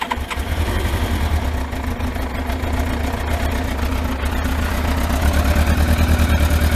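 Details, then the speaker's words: Yamaha Thunderace four-cylinder, cold start after long storage, no coolant in it, run briefly before a water-leak check: a low, steady, even idle with no knocks or misses; it may be low on petrol. "But it sounds quite smooth, that, doesn't it? Considering."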